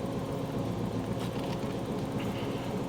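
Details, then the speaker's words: Bobcat 542B skid steer with a Ford 1.5L petrol engine, after a new throttle/governor setup, idles smooth and steady near 900 rpm (the wasted-spark timing-light reading shows 1,800) with no knocking or surging. "yeah so this is our idle oh 1,800 so we're idling at maybe 900 RPM I would say it probably sounds like"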